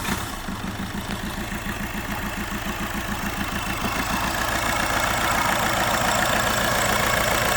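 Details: Škoda Superb idling with a lumpy, loping stumble, about 3.5 thumps per second, running on 3 cylinders. A serious fault is suspected, and compression is being measured to find the cause.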